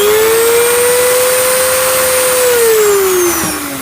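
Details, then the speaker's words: Parkside PFBS 12 C7 cordless precision rotary tool at full speed with no load: a clean, steady high whine, noisy but with acceptable vibration, then it falls away smoothly on spin-down; normal running. "bon quand elle va à fond, je dois bien vous avouer que elle fait du bruit. La les vibrations, ça va, c'est plus que correct."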